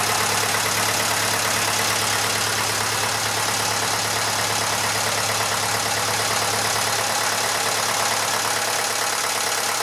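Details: Massey Ferguson 35 (835), Standard 23C diesel, first start after over a year: steady, even idle clatter with no misses or knocks and a bit of hiss; slight blow-by for the age; normal idle.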